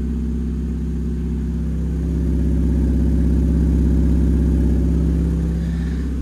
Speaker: That ain't no sports car exhaust. That's got a serious exhaust blowing at the back.